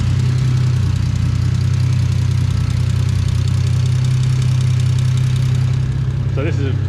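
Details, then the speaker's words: VL Commodore with a converted turbo Barra Greentop six (300,000 km), TH400, 9-inch diff, Haltech ECU, running E85. After starting it holds a steady, low, smooth idle thrum with no knocks or misses. The bass idle was tuned on the hoist with a wideband: normal. "this has got a real bass tune in it. I literally sat on the hoist with it to get it to idle."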